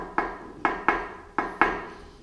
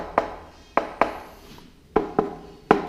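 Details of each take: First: On entend quand même un bruit de métal. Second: Peugeot 103 moped: about nine dull knuckle taps on the stamped-steel fuel tank sound hollow and papery, unlike solid metal nearby; tank wall thinned by rust.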